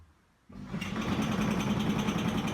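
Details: Zanussi ZDE 47100W vented tumble dryer on synthetics: loud, rough whirring drone with steady low hum from around the back, caused by a worn belt tensioner pulley; fixed by replacing the pulley and belt.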